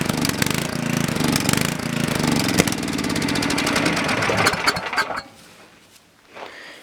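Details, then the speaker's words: Coleman Powermate generator after reassembly, on choke with full oil and gas, pull-started: engine catches and runs unevenly about five seconds, then abruptly cuts out; starts then stalls. "Well, it's a runner. Since it died, I'm pretty sure"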